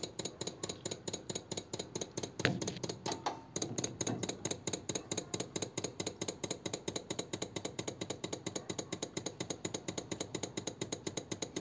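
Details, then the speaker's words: 1933 5-window coupe with a crusty flathead, parked nearly 3 years: steady rapid ticking, a bit over two per second, from the electric fuel pump priming the carburettor; clicking stops once the carb is primed. "That'll be going into the carb now. When it stops clicking, you know the carb is primed."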